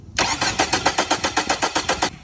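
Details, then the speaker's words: 2002 Ford Focus SE wagon that suddenly wouldn't start: quick, even starter cranking about six or seven turns a second, engine turns over but doesn't fire; starter is fine, fault later traced to a broken neutral/backup safety switch. "So the starter's working. It's turning over. It's odd that it's not starting."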